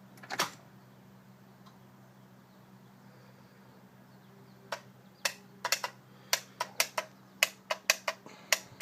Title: Ford E350 Won't start, clicks.